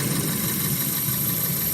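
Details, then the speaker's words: Warm 2000 Toyota Celica GTS 2ZZ engine at operating temperature, 83°C, idling steadily around 750 rpm, throttle position 9 percent: smooth, even hum with no knocks, misses or surges; healthy warm idle. "at operating temperature 750 RPM go out of position at nine percent"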